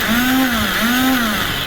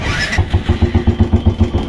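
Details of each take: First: Royal Enfield Bullet Classic electric starter, after its switch was cleaned of carbon and shimmed: high free-spinning whine rising and falling with no engine turnover. The starter freewheels because the one-way starter clutch is faulty and due for replacement. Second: Royal Enfield Bullet Classic with a self-start fault, after the right-hand switch and wiring were checked and the battery confirmed good: a short starter whir, then the single settles straight into an even thump about seven beats a second; electric start now works properly.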